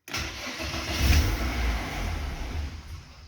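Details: BMW E36 Compact 316i 1.9 (M43B19), spark plugs found black from a rich mixture, cleaned and refitted: the engine catches, surges, then sags and dies unevenly; same rough idle and low-rpm stalling persists, cause still unconfirmed.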